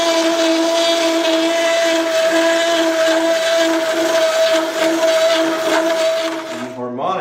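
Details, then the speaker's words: Hole saw cutting a ring from steel, steady mid-pitched squeal with pulsing chatter from harmonics as chips are recut in the cut; hole saw chatter. "that's called harmonics and you can hear it in the in the chatter of these saws that's going into the material"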